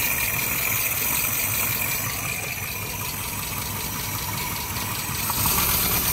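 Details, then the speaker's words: Suzuki Samurai under rebuild, new fuel pump fitted, ignition just connected: on starting it runs rough with an uneven, lumpy idle and light, irregular ticking about three per second, attributed to the rockers not yet being adjusted. "maintenant quand je démarre va il tourne mal à cause des culbuteurs"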